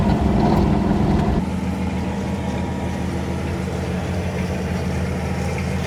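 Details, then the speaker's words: Ford Falcon driving after a new stainless exhaust with J pipe and muffler: a steady low engine hum with a fast, light sewing-machine ticking from an exhaust leak; the J pipe removed the drone, leaving only road noise and the leak. "all you could hear is Road noises now and the exhaust leak now I got to fix that"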